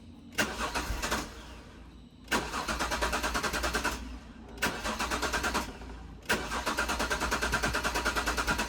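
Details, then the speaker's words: Jaguar S-Type barn find left six years in a carport, quarter tank of fuel: three bursts of steady cranking at about three turns per second, never firing; fuel pump under the rear seat not heard running, crank no start. "I can't hear the fuel pump running. Turn it off. Turn it back on again. I think there's a fuel pump beneath the back seat on these and I can't hear it running."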